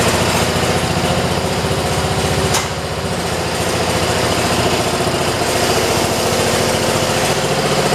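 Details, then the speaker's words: 1973 112 garden tractor with Kohler K301 single after head gasket replacement (after compression loss) and valve adjustment at 8 and 17; tins and air filter assembly still off; steady even thump with faint light tick; normal running. "Okay, you guys, we just took it out and drove it around. As you guys saw, you got to hear it shut off. It sounds pretty damn good."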